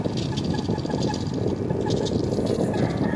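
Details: Air conditioner that still cools, running in fan-only mode, heavily dust-clogged: rough, gritty grinding churns steadily under the fan whir. Fixed by cleaning the aircon.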